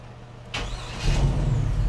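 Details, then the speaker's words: 2003 Chevrolet Silverado after starter replacement: brief crank, engine catches and settles into steady low rumble with no whir or grind afterwards; earlier noise was old starter drive spinning 2–3 seconds after start, now gone. "Oh, wow. Are you kidding me? No noise after it starts. Perfect."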